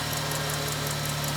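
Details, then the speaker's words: 1999 Ford Mustang just started after a fuel filter, transmission filter and Valvoline Max Life fluid change, not yet warm, before cycling through the gears. Idle is lumpy, uneven and "grumpy"; rough idle, cause not stated. "Come on, baby, you can start. There we go. Oh, she's grumpy."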